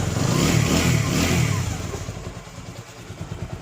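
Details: TVS Apache RTR 200 4V after head work with new camshaft, rocker unit, valve kit and timing chain: revs rise, then settle to an even, steady idle beat with no ticking or clatter; the engine-noise problem is solved.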